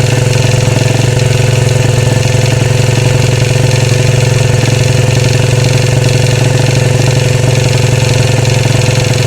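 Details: 2013 Royal Enfield Classic 500 single, rebuilt after teardown to remove stray M5x35 bolts: decompressor noise gone, loud steady idle with a fast metallic rattle on each beat; oil level okay, owner plans to check tappets and rockers, origin unknown.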